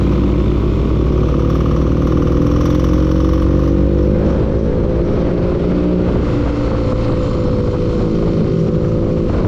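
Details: Engine revving up and settling with a rapid, uneven tapping knock that persists through the rev change; source undetermined.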